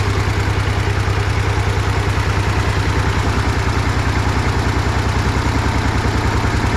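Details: 1960s DT-14 tractor, single-cylinder diesel, cold start after 10 years: slow, even thump about three beats a second, steady and unbroken; idles smoothly, normal idle.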